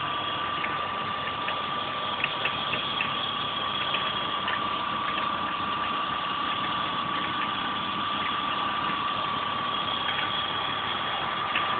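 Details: E36 BMW 320i at idle with undefined engine noises: a steady high whine near 1 kHz with irregular faint ticks over it. Source not identified.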